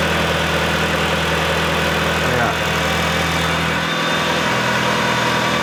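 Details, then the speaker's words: Mitsubishi EVO, cold, at about 1500 rpm after a boost leak was found: steady, even idle with a smooth, quiet exhaust note. Before, it sounded like a rally car at idle; it now runs cleanly. "sounding good it's sounding a lot better already a lot smoother before at idle it would sound like a rally car from the exhaust it was like now it's like very smooth it's quieter as well"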